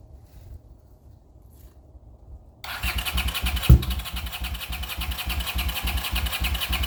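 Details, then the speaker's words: 40-year-old Honda GL500 motorcycle on first start after rebuild, fed from a temporary gas bottle: the starter turns it at a steady three or four pulses a second but it never catches. It fires on starting fluid, so it's starved of fuel. "I know we got a fuel problem because when I hit it with the starting fluid it wants to start so somewhere it's just not getting fuel which means I've got to look into some things"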